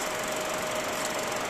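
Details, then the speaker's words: ELMO 16 CL Xenon 16mm film projector, previously with varying speed, after repair with xenon lamp switched off: even mid-pitched motor hum with steady clatter that never speeds up or wavers; motor holding normal steady speed. "Het versnelt niet Ik denk dat de regeling goed is"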